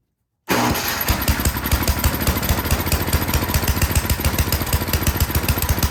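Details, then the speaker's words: Toro Power Shift 824 snowblower, single-cylinder, after new spark plug, choked and primed: catches and runs with fast uneven chuffing only on full choke; dirty carburetor suspected, no air filter. "Okay, we got it to start. That's good. It will only run on full choke though. So that tells me something's going on with the carburetor."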